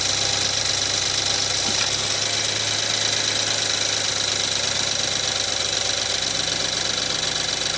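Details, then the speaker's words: 2014 BMW 320i F30, N20 turbo engine, cold idle with drivetrain malfunction light; constant metallic tinny chatter lessening as it warms; electronic turbo wastegate rattle, computer shutting off the turbo, awaiting turbo rebuild. "Now it's warming up and starting to rattle less. And with the drivetrain malfunction, since the turbo has electronic wastegate control, the computer just shuts off the turbo because it knows something's wrong with the wastegate."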